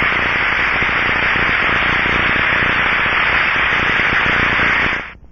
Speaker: for example this is the rushing sound of a good bearing is heard through the ultr probe's